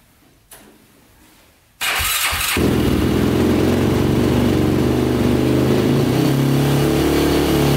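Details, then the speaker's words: 2005 Yamaha YFZ450 big-bore single after rebuild, restarted after owner found the fuel tap likely left off: fires at once and settles into a strong, even idle with no misses or knocks; sounds healthy, though the pipe still glows red hot. "but um it sounds good runs good"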